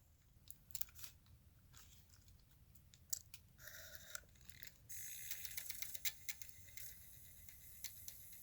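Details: Sony D-15 Discman, just re-lubricated so the sled pulls back in, tested in an odd orientation: faint mechanism clicks, then a short rising whir as the disc spins up and settles; the player starts normally.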